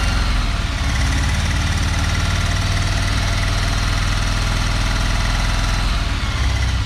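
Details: 1974 Dodge W200 318 V8, water being fed into carburetor to seal things up, no working gauges: deep, slightly uneven idle with loping low thump; rough idle, cause not pinned down.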